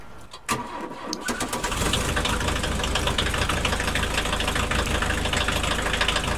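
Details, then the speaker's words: Audi S2 Avant inline five-cylinder, rolled around the yard: brief crank catches fast, then a smooth, throaty five-cylinder warble at even idle; healthy start. "soha nem fog kimenni a divatból a soros 5-hengeres motorhang"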